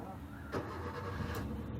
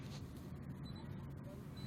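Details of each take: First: Maruti Suzuki Swift (K-series, CNG) after repair, no fault codes and check light off: quick crank, fires and settles at once into an even low idle with no stumble or misfire; normal start and idle. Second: Maruti Suzuki Swift (K-series) at idle with check engine light on and low rpm, sometimes stalls, steering shaking: low, uneven rumble with faint stumbling beat; misfire traced to broken MAP sensor wire.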